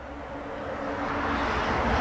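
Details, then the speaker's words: Gator Pit GP2036PC Texas Edition I pellet grill heating from a 62-degree cold start to preset 270, now around 260; steady fan hum with soft pulsing as fans kick on and off and the controller slows down, normal fan and auger operation. "I don't know if y'all can, but I can hear all this stuff working, pulsating in there, vibrating, fans kicking off and on. I can hear all that going on."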